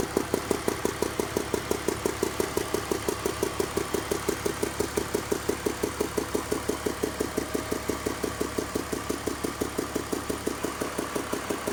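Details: 2002 BMW 320i (E46) petrol engine idling with a quick, steady ticking in time with rotation, seeming to come from cylinders 3 and 4; owner suspects lifters, unconfirmed.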